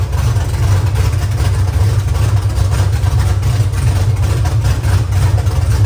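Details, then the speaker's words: Nissan S14 with LS V8 swap at first start: loud, deep, steady open-pipe rumble with even pulses and no stumble; normal idle with no exhaust fitted. "imagine what it sounds like when it's drifting it's be so loud I don't want an exhaust on me no we have to put an exhaust on keep it like this it would sound so nice like this"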